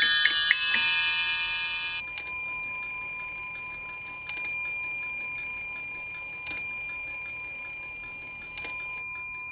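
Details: 18th-century three-train fusee spring clock after repairs, cleaning, Moebius D3/D5 oiling and new gut fusee lines, on test. A run of bell notes, then even strikes about every two seconds over a light tick. It runs and strikes, though some issues may not be fully resolved.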